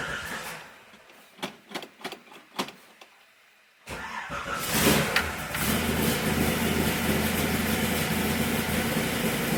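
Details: Pontiac Tempest with no choke, stored in a Colorado garage since November, started totally cold: a few separate cranking chuffs and a pause, then it catches cleanly and settles into a steady idle; normal cold start after storage.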